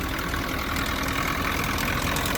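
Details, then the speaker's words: Nissan pickup with a blown head gasket, just started after being snow-packed, warming up: uneven, stumbling, lumpy idle with a light rattle, not all cylinders firing yet; misfire from the blown head gasket. "2.3 cylinders came to life yeah it looks like the alternator is not happy but you know it's running"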